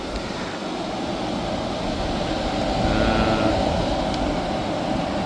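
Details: Hyundai portable air conditioner after a refrigerant leak repair and recharge, set to maximum cool (16°), now cooling instead of icing up: steady even air whoosh over a smooth low hum, no rattles or knocking; running normally.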